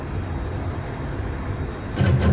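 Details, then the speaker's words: HPE MicroServer running TrueNAS Scale Cobia, drives idle: steady low hum with a run of heavy clunks that repeats about every 5 seconds when no data is accessed; the owner says the clunking is preventative. "one of the most annoying things about having this setup is this background clunking noise that happens every 5 Seconds when I I'm not accessing data on the [Music] drives"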